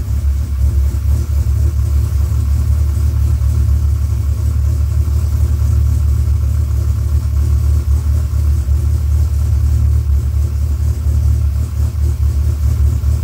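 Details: Rebuilt Dodge Viper V10 first startup after engine rebuild, oil pre-primed to 40 psi cranking: steady deep even rumble, no knocks, ticks or misses; about 60 psi oil pressure, no leaks, radiator warming, running smooth and healthy.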